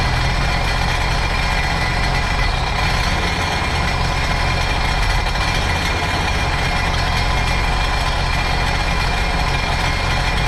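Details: Supercharged 2009 Sea-Doo GTX 215 jet ski, after replacing the cracked cylinder 3 coil: loping, uneven idle with a missing beat. Cylinder 1 still misfiring; owner guesses a clogged fuel injector.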